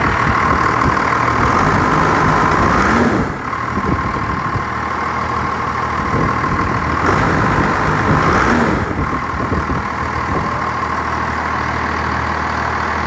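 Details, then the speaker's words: First-gen Cummins diesel after repairs, cold, not run for a week: even clatter at steady idle with no misses or hunting, plus a faint steady whine; sounds healthier. "I think it actually sounds better like trash that sounds healthier"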